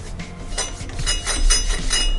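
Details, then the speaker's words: Yamaha C3 / Zuma 50F cylinder head valve being lapped by hand with coarse compound: gritty, scratchy back-and-forth grinding while the seat is not yet mated, lapped until the noise turns smooth. "hear that like real coarse grinding noise I want to do it until that noise gets smooth"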